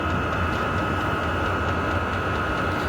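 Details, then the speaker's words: Vevor 5 kW diesel heater started outdoors, blower sounding like it is racing, like a turbine spinning up; steady high whine over rushing airflow hiss as it blows hot air, a normal startup. "Là, vous voyez, je sais pas si vous l'entendez, c'est un peu comme s'il s'emballait. J'ai l'impression d'avoir une turbine qui se met en route."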